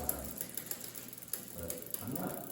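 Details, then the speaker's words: 2001 Specialized RockHopper bike, cross-chained gear combination; light ticking and chain rub in time with cranks, chain suspected brushing the front derailleur; derailleur rub. "That noise you're hearing is just this thing's a little little cross chain. So, there's a little bit of rubbing up here."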